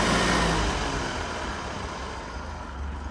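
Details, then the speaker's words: Four-cylinder Ford tractor at full governed throttle of about 1,800 rpm, as a reference for a flathead-six 8N: a steady, even drone with no knocks or misses over the exhaust roar; normal, healthy governed full-throttle run. "so that's full throttle and that's what our little six-cylinder buddy over here is supposed to sound like"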